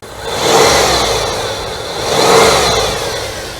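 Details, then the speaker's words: Cadillac Seville 4.9 V8 that sat almost 10 years, weak battery, after brake work: blipped twice, rising and falling cleanly with no knocks, misses or rattles; runs and idles smoothly, possible vacuum leaks. "and you can see that it runs and idles very smooth and there may be some vacuum leaks and things again"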